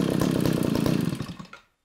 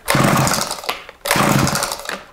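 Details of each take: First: Eskimo Stingray 33cc two-stroke ice auger after fuel line replacement for a fuel leak: fast even buzz winds down and stops within two seconds, running cleanly with no stumble and no leak. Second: Eskimo Stingray 33cc gas ice auger after a fuel line replacement, on choke: the two-stroke catches in short one-second bursts that cut out between pulls and never settles. Hard starting.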